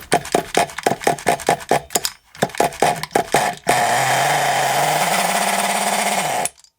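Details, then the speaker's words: Scrap Thunder Tiger .28 Pro nitro RC engine, after backing out the fully-in tick-over screw: short firing bursts that catch and die, then a buzzy run with unevenly wandering pitch; doesn't sound happy, rough running. "Oh, doesn't sound very happy. Let's undo that. Oh. Yeah, it doesn't sound very happy, does it?"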